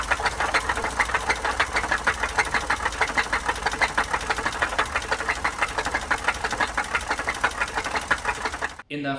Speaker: first clip, I gave a sample of what bottom end knocking noise sounds like, aka rod knock.